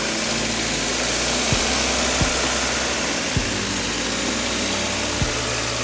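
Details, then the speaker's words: Cheap high-mileage (~200,000 mi) Honda hatchback with aftermarket blue-filter air intake, idle after cold start: faint hiss, occasional uneven dip or thump every second or so; runs rough, cause unconfirmed; spark plugs, wires, maybe distributor to be replaced. "Yeah. So, that's a little cold start right there. Like I said, not the most perfect running car, but hear out the engine sound."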